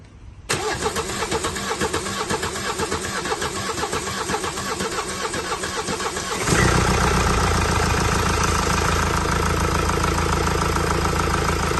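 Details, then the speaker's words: Mercedes 654 diesel after timing work, rocker cover gaskets, oil and filter change: cranks with even chug about six seconds, then settles into smooth, steady idle with the earlier knocking gone; healthy. "And as you can see, the vehicle's started up, running nicely, none of that knocking noise anymore."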